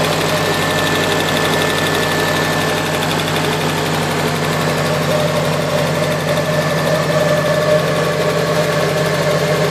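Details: Nissan S14 KA24DE four-cylinder at idle: fast steady light ticking over engine hum, started after head gasket replacement; owner unsure if lifter tick or something more serious, not confirmed.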